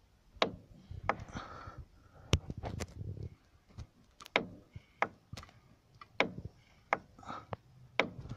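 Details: Renault Megane 2: with the steering turned fully left, irregular sharp hollow knocks about once a second, no engine running, from the strut top mount (top bearing) area; the knock comes from plastic.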